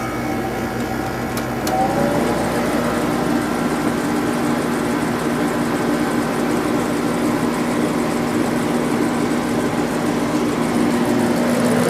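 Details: Second Sharp window air conditioner at its spring 2020 first startup after winter storage: steady low compressor hum under an even fan rush, no rattles or buzzing. Not low on refrigerant, still blows cold; runs healthy.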